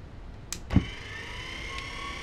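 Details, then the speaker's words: Ice cream machine motor driven by a custom PWM MOSFET controller from a 100–140 V DC rectifier, with a fan-cooled heatsink. After a click at switch-on, it gives a quiet, steady high whine with no surging at full speed. "so that's, I believe, full speed."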